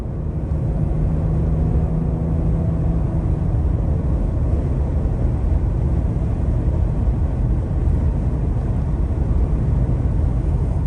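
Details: 2023 Ford Explorer, 2,900 miles, at 60–90 mph on the interstate after a fix for passenger-side wind and rattle noise: even road and tyre rumble, no rattle or wind noise; normal highway cruise.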